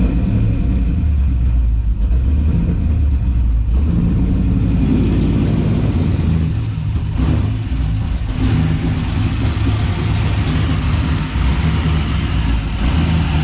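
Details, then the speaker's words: 6.0 LS V8 freshly installed on a base tune, revving; deep sound with an uneven, lumpy beat and ragged pulses under throttle, spark plugs found badly fouled: rough running from fouled spark plugs. "now I just pulled the plugs on them and they were fou pretty pretty bad but I mean it's running pretty terrible right now"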